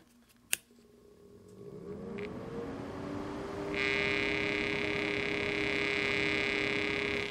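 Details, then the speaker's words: The fan that came with a Cooler Master MasterLiquid ML240R CPU cooler spins up with a rising hum, then a harsh buzzy rattle stays at speed; the Alphacool Eisbaer 280 fan replacing it runs without the rattle. "that rattle drives me crazy you do that one more time and listen for that rattle that was driving me nuts"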